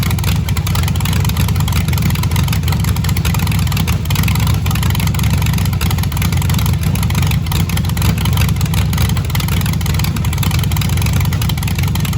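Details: Cobra freshly built engine on second run to complete cam break-in, outside with laptop connected: loud steady low rumble at raised idle, even beat, no knocks or misses; normal running.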